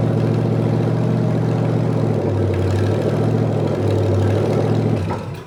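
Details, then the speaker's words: Rebuilt '73 Canadian truck 350 Chevy V8 (new piston and rod, big cam, fuelie heads), no fan, warming up: lumpy uneven loping idle, wandering speed, then dies away; rough idle from ignition timing way off, distributor twisted. "oh the other thing is the timing was way off on this you noticed I was playing around with it to get the idle right and it was idled wrong so I twisted it around"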